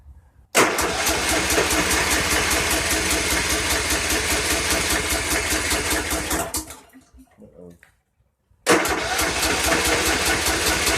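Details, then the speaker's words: 2014 Troy-Bilt Bronco 13WX78KS011 with Kohler 17 HP, recently tuned up: starter cranks evenly about six seconds without catching, pauses, cranks again; no start because choke not engaging, fix by adjusting throttle/choke cable. "Looks as though the reason it's not firing, Joe, is because the choke's not engaging."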